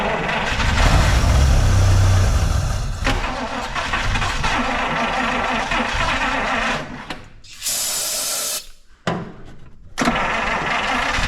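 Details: 1953 Buick (6-volt) being fed by its restored fuel system, with fuel just starting to come up through the filter: the starter cranks in a steady rhythm with occasional faint catches as the engine tries to fire, then drops off; it cranks without starting.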